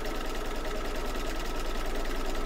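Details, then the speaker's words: Embroidery machine stitching in an 8x8 hoop with gummy, sticky marks: fast, even stitching clatter with a faint thin squeak as the hoop drags on residue; owner wiped it down, expects it to work itself out. "okay the little squeak there but I noticed there were some gummy marks right here it might take a few minutes to work itself out"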